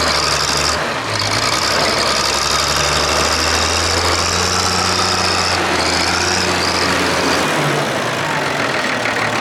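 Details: Diesel front end loader working under load: an uneven, stumbling exhaust beat as a cylinder drops out. Misfire traced to number 6 on the inline injector pump; cause of the break unknown.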